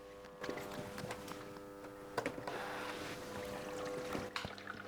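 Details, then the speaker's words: Beko washing machine, valve test on rinse cycle: the water inlet valve coil hums with the supply off, then water rushes in with a hiss as the supply is turned on and the machine fills normally. "the machine starts to fill and you can hear the water"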